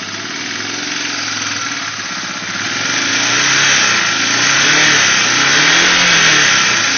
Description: Took down to frame to restore. Got enough back together to start.